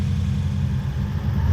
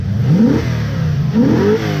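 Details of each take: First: Toyota Hilux 2WD pickup with 1UZ-FE Lexus V8 swap, which was pinking, jerky and rattling under throttle: deep, uneven, lumpy running with rough rattle as revs rise. Ignition timing found 30 degrees out, at 40° BTDC. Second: Lexus 1UZ-FE V8 swapped into a 2WD Toyota Hilux ute, after repair: repeated throttle blips rise cleanly and drop smoothly with no misfire; before, it was jerky and rattly with ignition timing out by 30 degrees (40° BTDC).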